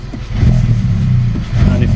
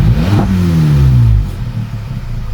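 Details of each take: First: VW Polo 1.2 TSI R Line, 105,000 miles, before repair, no error codes, runs rougher when warm; revs climb, hang, jump and bog instead of settling, owner suspects a faulty throttle body or vacuum leak. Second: VW Polo 1.2 TSI that previously idled roughly, worse when warm, after a smoke test and replacing the throttle body and HT leads: a quick rev blip drops straight back to a smooth idle without sticking, and it no longer misfires.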